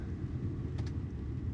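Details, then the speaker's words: 2002–07 Ford Powerstroke/Excursion digital HVAC, after replacing blower motor resistor transistor: soft, steady blower rush ramping from maximum down to very low speed, no rattles or squeals; normal operation. "and if you can hear it is slowly reducing down to a very low blow"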